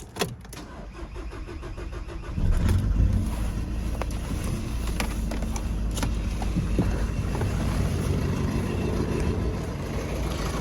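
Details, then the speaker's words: VW Golf 5 starting and idling: engine catches after a brief crank, then runs lumpy and unstable, dropping badly; two faulty injectors cause the misfire. "le moteur est pas stable en fait vous qu'on démarre ça ça tombe comme une patate ça tombe mal mal"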